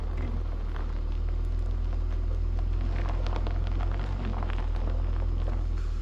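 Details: Holden VY Commodore petrol engine started after sitting a few weeks. It idles with a deep, steady rumble and no knocks, misses or rattles, and sounds good.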